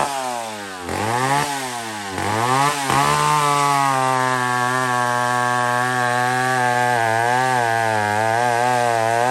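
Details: Old McCulloch 1-71 chainsaw with 3/8 chain cutting wood after a major carb upgrade: carb rebuilt, gas line leak zip-tied, intake double-gasketed. High buzzing scream dips briefly as the bar bites, then holds steady even revs through the cut. Normal running under cutting load.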